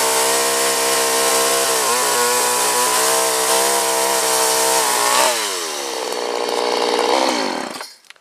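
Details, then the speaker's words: Chainsaw just fitted with a new carburetor and fuel line: steady high buzzing rev, a brief dip, then it winds down smoothly and stops; healthy, clean running. "all right that sounds pretty good let's take it outside and give it a try"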